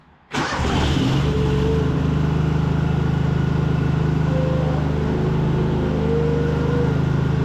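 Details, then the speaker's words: High-hour Cub Cadet 2186 lawn tractor with V-twin, after the fuel problem was fixed, with a little choke: brief crank, catches at once and settles into a steady, even idle. Healthy start; it now runs and mows well. "Alright, so it runs great now. Mows really well too."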